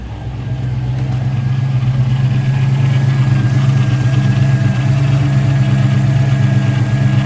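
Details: 1980s Ford Mustang Fox body, 347 stroker V8, TKX 5-speed, after fuel tank installed: smooth steady low rumble with no stumbles or misses; healthy even idle.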